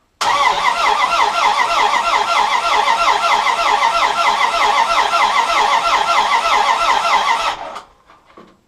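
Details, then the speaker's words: 1967 Plymouth Fury convertible during a compression test, ignition off, no power to the coil: even, steady starter churn at about three beats a second with no firing; normal cranking, reading about 120. "There's no power to the coil or anything. So let's crank this over a bit, see what kind of compression we get."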